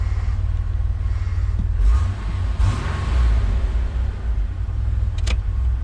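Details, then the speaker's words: Warm Ford Bronco II with 2.9 V6 idles with a low, even rumble at about 850 rpm, per the manual; it previously stumbled and hunted from about 400 rpm; owner suspects the air intake for occasional hiccups. "but it's idling around 850 maybe a little bit High U which is where the manual says it should be"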